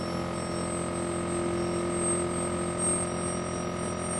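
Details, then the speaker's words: Vacuum furnace pump drawing down, around 100 torr: steady mechanical hum of the roughing pump under the thin high-pitched whine of the turbo pump, no rattles or other sounds; normal pump operation. "I mean, that noise is normal. That's the roughing pump that you're hearing. You can also hear the turbo pump's high-pitch sound. That's normal."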